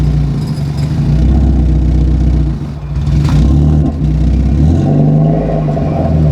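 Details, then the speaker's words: NB Mazda Miata after swapping in an exhaust salvaged from a wrecked Miata: loud revving with a loose metallic clatter coming and going under throttle; exhaust rattles against the drop-down underbody cradle removed and refitted during the swap. "definitely got a bad exhaust rattle somewhere. Yeah. It's loud. That is definitely loud."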